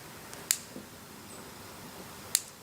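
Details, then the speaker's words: Fairbanks Morse 3HP Z Style C engine, hand-turned slowly with new crankshaft-triggered ignition: magnet passing a block-mounted sensor fires the plug via a model-airplane spark box. Two sharp snaps about two seconds apart, one per revolution; spark firing normally. "As soon as this magnet rotates up past the sensor, you can probably hear it. It fires the plug."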